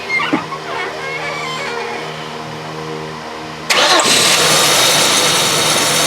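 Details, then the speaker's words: Engine running with dry, busy rattle from the serpentine belt drive; engaging the AC compressor clutch with a Power Probe makes the noise disappear, confirming the AC compressor clutch (AC not working) is the source. "you can hear that rattling now engage with the compressor clutch the red one goes away so that tells you that it's the clutch without having to do any further diagnosis even though the air conditioning doesn't work on this"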